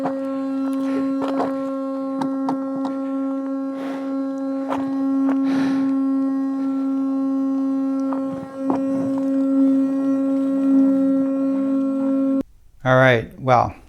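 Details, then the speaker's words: Gotway EXN electric unicycle opened up: loud steady tone with a ringing overtone that cuts out abruptly; the cooling fan has whined ever since the wheel fell over during a trail ride. "as you could see when i was doing some trail riding i fell off the wheel wheel fell over and immediately the sound started making this horrendous uh noise and i got to listen to that noise for the next few hours on that ride it never never went away"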